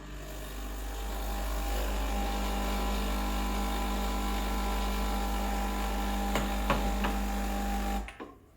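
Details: Breville Dual Boiler BES920 espresso machine rinsing the group head and shower screen: steady low buzzing pump drone for about eight seconds, even and unwavering, then a clean cut-off; pump sounds healthy.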